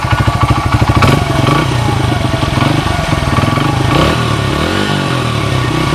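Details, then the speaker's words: 1994 Honda XR100R after carburetor rebuild, warmed up, no smoke: single-cylinder thumps along at a steady warm idle with one small blip, no stumbling or hunting; runs clean, a nice running bike. "You guys could hear it. It's a nice running bike."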